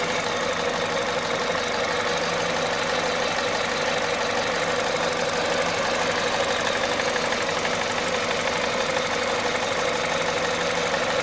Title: bruit moteur froid VTI 120 à 98500KM.